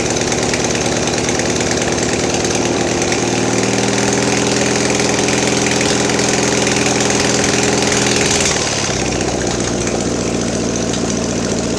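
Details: Mastercraft (MTD) 46" riding mower, fed by fuel pump: steady buzzing idle picks up briefly, then sags and dies as throttle opens; owner suspects fuel starvation from plugged main jet.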